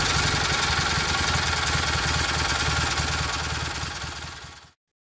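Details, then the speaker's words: Rebuilt Kohler Magnum M18 single from a Cub Cadet 1882 on a test stand: steady fast idle about four beats a second, even and strong, then shuts off cleanly; sounds healthy. "it's a it's a running engine again so [Music] here it is in all its glory fire's right up man [Music]"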